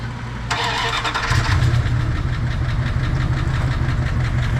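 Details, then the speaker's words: 1994 Dodge Dakota SLT V8 on first start after a new oil pump and pickup tube. After a short crank, fast light lifter ticking rides over the idle and fades as oil pressure builds; a faint tick remains, possibly from earlier oil starvation. "Now that's the sound the ticking sound from before. Let's see if it clears up as the oil pumps up."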